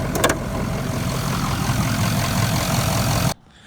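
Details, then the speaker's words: Converted bus RV diesel at idle after a trip where it leaked coolant and needed refilling: steady hiss over a low rumbling idle, not overheating; owner suspects a failed cooler, a common issue on these. "I can hear it hissing from up here, and I'm about to pop the hood and look around, but it's not overheating."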